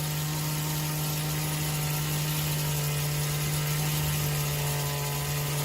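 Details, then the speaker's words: Old-school Athearn Blue Box gray jet DC motor being tuned up at about 11 volts, current dropping to 0.6 A while breaking in: constant loud hum with a coarse buzz, steady pitch, running rough and noisy. "If we can stand this noise, he's going to keep dropping."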